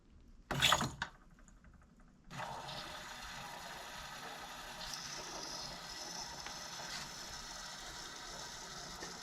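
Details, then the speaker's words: Hydronic radiant floor heat system with a new Caleffi 172 series manifold, fill pump running with a steady rushing hiss of water and a faint drone while flushing through the supply manifold with the loop valves closed, not at full speed; normal. "you can hear it running kind of reluctant to put it on full blast right now"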